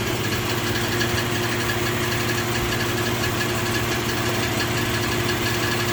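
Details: 2004 Infiniti G35 at idle: steady idle with a light, fast tick over the engine hum; engine ticking noise, cause not identified.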